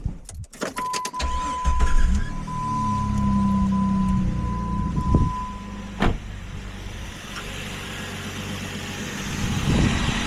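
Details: 2001 Jeep Grand Cherokee WJ 4.0 inline-6 started after a water pump replacement, during coolant refill before warm-up: brief crank, quick catch, then a steady low idle with no knocks or misses; healthy start.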